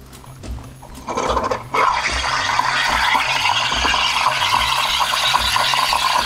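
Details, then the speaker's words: De'Longhi Dynamica FEB 3515.B steam wand, machine hot, frothing about 100 ml milk for cappuccino; steady hiss and sputter into milk, even and uninterrupted, no gurgle or pump strain; normal frothing with microbubbles. "la mousse en train de se former on peut jouer sur l'inclinaison également voilà la mousse elle commence à prendre une belle forme j'ai des micro buulles"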